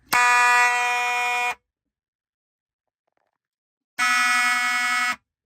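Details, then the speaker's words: System test of 7 mechanical fire alarm horns on a new pull station, whose button must stay pushed in to keep the alarms silent; letting go trips it: two loud steady buzzing blasts about 1.5 s each with silence between, horns sounding properly. "You let go of the button and it goes off."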